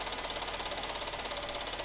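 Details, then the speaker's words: Fast, even, sharp ticking about eight per second from inside the engine; if from the bottom end it may be rod knock, a loose connecting rod or bad bearing on the crank, top or bottom end unclear. "now this could be a conclusion of two different things if the sound is on the bottom of the engine this is really bad this is a rod knock this is the rod of your piston is loose on the crank"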